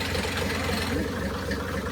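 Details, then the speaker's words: 1984 Mercedes 380SL with swapped turbo OM603 diesel, just after first start, in neutral, throttle not connected: low, slightly uneven lumpy idle clatter under quiet chatter; idle unsettled and not yet adjusted. "Let me adjust the idle so it can sound better."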